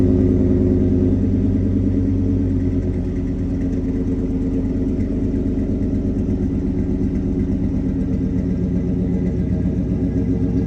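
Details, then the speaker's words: LT1 V8-swapped Mazda B4000 at first start with a temporary exhaust slipped over the tailpipe, no muffler box yet: deep, loud, even burble at idle and on throttle taps, smooth firing with no misfire stumble: normal idle and revs. "oh it's so deep that sounds crazy let me give us some Taps here"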